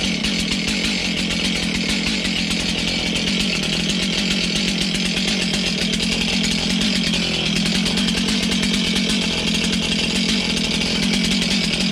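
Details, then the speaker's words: Stihl MS291 chainsaw, bought used online, just serviced with a chain service kit; after sputtering at first it starts and settles into a steady, even two-stroke buzz with no stumbling or misfire: a healthy runner. "let say we'd have a runner say we got a runner sounds pretty nice"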